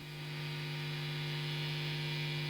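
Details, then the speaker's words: Marshall Origin 20 tube amp modified with a Headfirst Sirius Amps replacement board, master turned down: steady low electrical hum with buzzy overtones, swelling slightly; suspected pickup from nearby studio lighting. "you'll probably hear it there a slight home in the background maybe I'll look at that at another time"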